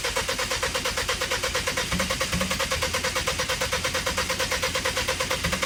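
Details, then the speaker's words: Engine knocking at idle after being towed home; owner suspects cylinder four again, same knock as when the motor first blew. A steady, even deep rap repeating several times a second, pointing to a worn rod bearing. "all right guys so as you guys heard it's knocking a little bit sounds like it might be four-cylinder again"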